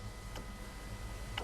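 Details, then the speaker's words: Mazda BT-50/Ford Ranger 3.2 or 2.2 diesel with codes P244C and P2463 (exhaust temp low). Fuel dosing tick pump pulsed with power gives sharp clicks and only a dribble of fuel; the technician is unsure this is right. "i can hear it sort of clicking and only a dribble of fuel coming out of there now is that right i'm not too sure"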